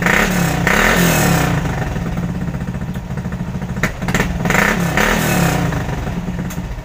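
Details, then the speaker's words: 110 cc motorbike started up: it settles into a steady, even putter, then picks up cleanly and lightly on a few throttle blips; the engine sounds smooth with no odd noises, so it is healthy. "Kalian bisa dengar suaranya, dan untuk suara tarikan masih sangat enteng."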